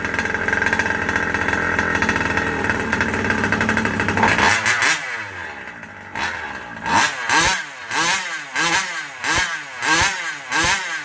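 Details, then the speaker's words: Rovan Baja 5B two-stroke just fitted with a new 1107 carburetor, still needing tuning: steady buzz, then short throttle blips rise and drop back without climbing cleanly; hesitation, lean on the low circuit suspected. "I still have a little bit of a lean spot. I can hear it kind of not wanting to get up on its RPM."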